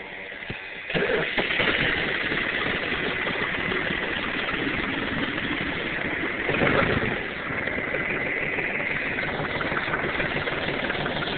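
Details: Diesel tractor, morning cold start with frost on it: quick crank, catches within a second and settles into a steady, even idle; clean healthy cold start.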